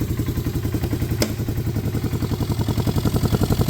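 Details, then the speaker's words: Auction John Deere ATV of unknown last run, fuel status unknown, started with choke: steady even idle, low throb about four beats a second, no misses or knocks; owner says the motor sounds good. "I think I might have gotten really lucky on this thing. It seems idle. The motor sounds good."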